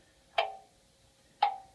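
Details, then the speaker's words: Antique 1700s English tall clock with hourly strike and moon calendar, after repair on the testing shelf, ticking amplified: crisp even ticks about a second apart, normal clock ticking. "the reason you're getting more noise is because I put an amplifier to H uh to listen the ticking of the clock"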